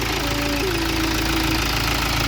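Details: BMW diesel that died on the road after its timing jumped several teeth; a high-pressure pump failure was first suspected. Restarted after the timing fix, it gives a steady idle with even light clatter, quieter than before. Normal idle.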